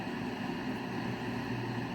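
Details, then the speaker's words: 1970s Zenith console radio on FM with no antenna, in a valley: steady hiss and low hum, no station breaking through; set works but receives nothing, attributed to no antenna and location. "And I'm not really getting anything on FM. Where I live is a little bit of a valley. It's kind of tough without an antenna to get uh good get good reception."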